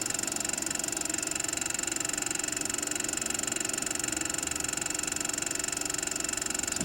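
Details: 1914 Victor Victrola VV-VI spring motor, dirty but unbroken, before disassembly: steady fine whir with regular ticking about four times a second and a faint grumble; dry oil and grease make the mainspring coils stick and suddenly release, slipping and rumbling.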